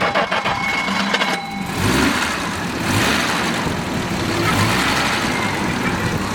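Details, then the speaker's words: 1967 Jaguar 420 Saloon with rebuilt 4.2 L six, stainless mufflers, fully serviced: brief cranking catches into a steady, even idle that just purrs, with no misses or ticking; normal start and idle. "sounds great just purrs huh very rare to see the air conditioning too huh"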